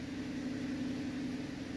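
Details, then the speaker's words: 2011 Cadillac CTS in for a misfire and oil pressure sensor code P0523: idling after clearing codes, long-term fuel trims improving from -32 to -8 bank one and -14 bank two, oil pressure around 35 psi, with a steady even hum and no misfire; normal idle. "I don't feel a single misfire guys running absolutely smooth right now and you see the oil pressure PSI has come down around 35"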